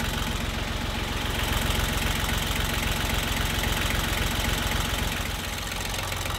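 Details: John Deere 1050 tractor, Yanmar 3T90T diesel, after head gasket and cylinder liner repair for coolant in oil, air bled from fuel system: steady even diesel clatter about four beats per second, no misses or surging; normal idle.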